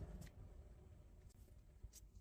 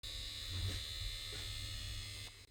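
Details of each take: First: Underfloor heating circulation pump after replacement (noise had been suspected from sludge, debris or a damaged impeller): soft, steady low hum with no knocking or grinding, normal quiet running. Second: Underfloor heating circulation pump: steady electric buzz with an even high whine before cutting off; pump noise suspected from sludge, debris or a damaged impeller, fixed by replacing the pump.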